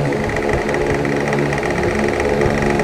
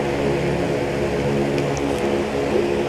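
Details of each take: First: An Asahi electric fan, noisy since another technician's repair, runs on high speed with a fast, steady rattling clatter over the motor hum. The shaft tip strikes an overlong screw; backing the screw out slightly removed the noise. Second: Asahi electric fan running at steady speed with an even hum and low whirring drone, no knocking, after the rear screw hitting the shaft end was adjusted and replaced with a shorter one.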